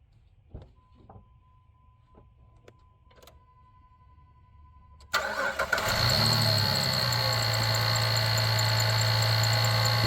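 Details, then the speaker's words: 2006 Jeep Liberty idling with a rough growling, grinding noise from failing alternator bearings; alternator still charging, later replaced. "You hear that? That is the bearings in the alternator beginning to fail. The alternator is still charging, but the bearings in it are beginning to fail."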